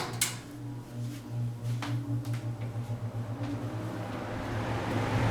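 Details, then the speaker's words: Manning Bowman 20" box fan, model 20542, late 1960s, restored, running on high speed: a rapid fluttering buzz of about four pulses a second over a low hum. Suspected to be the loose badge on top. "speed if you can hear it buzzing s it's prob the badge on the top"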